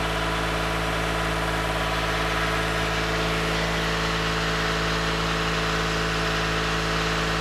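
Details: 2015 Toyota Sienna AWD 3.5 after replacing donut gaskets and spring bolt kit on both sides of the rear catalytic converter: steady, even idle hum with no ticking or puffing at the exhaust; normal idle, leak fixed.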